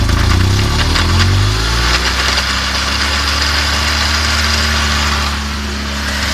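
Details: Final drive of a BMW R1200GS: steady engine hum with a low droning tone that eases after a couple of seconds, an odd noise from the shaft final drive, cause unclear.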